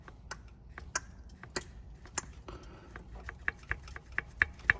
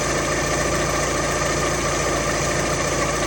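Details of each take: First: Alfa Romeo Twin Spark engine, timing belt area: sharp uneven metallic knocks, about three a second, as an SKF balance belt tensioner bounces back and hits its stop once the engine is warm, despite readjusting and lowering it. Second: Alfa Romeo Twin Spark engine idling smoothly after swapping the SKF balance belt tensioner for a different make, which had caused a knocking/tapping from the timing belt area: steady running note, no knock.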